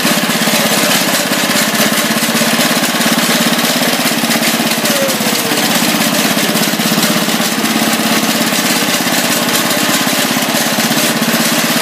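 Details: Tractor with working hydrostatic drive, moving under way: loud, even single-cylinder beat holding steady without misses or surging; runs smoothly, owner notes clutch noise and idle set down.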